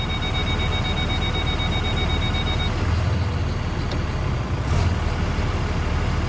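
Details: 6.4 Fummins 24V (EP12) truck with 5R110W transmission, after replacing the locked-up torque converter: diesel holds a steady, even idle in reverse, backup beeper chirping at first, no stumble or stall under load.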